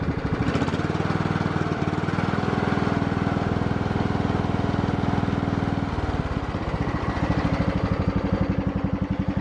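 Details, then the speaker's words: Riding mower on old gas, running over 20 minutes, idle raised slightly, on low idle: slow, even putt-putt about four firings a second with low thump; normal settled idle; owner suspects a failed electric blade clutch. "I uh I've got the idle up just a hair, but the girls didn't come by and eat last night. I must have missed them. Oh, we're already on the low idle."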